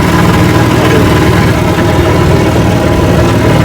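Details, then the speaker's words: Rebuilt 1959 Evinrude 18 hp fast twin two-stroke outboard, warm after about 15 minutes of running; the cooling problem looks fixed. Loud, steady low rumble with even firing, no misses or knocks. Normal idle. "And then watching the cooling, been running about 15 minutes so far, and she's running good."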